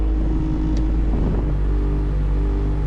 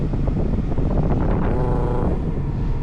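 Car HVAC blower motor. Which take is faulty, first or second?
first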